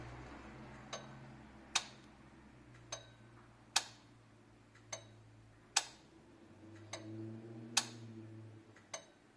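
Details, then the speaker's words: 2007-08 Nissan 350z with the HR dual-throttle-body engine and an overheating/limp-mode complaint, fan auto test with a multimeter on the fan harness; relay clicks about every second, no fan whir, voltage present: relays fine, cooling fans dead. "yeah that sounded okay yeah the relays are fine the fans are busted"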